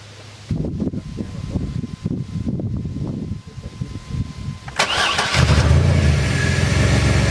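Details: Ford van start after fixing a faulty positive battery terminal that caused intermittent no-starts: a few seconds of rough cranking, then the engine catches cleanly and settles into a steady, even idle, a normal start.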